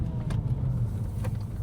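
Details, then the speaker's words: Bentley Continental Supersports test-driven after fitting Walmart ignition coils, now smoother than it has ever run: deep, even engine rumble under road noise with no misfire or roughness; normal running. "now running on Walmart ignition coils. This This is >> insane. >> And running really well. It has never run this well."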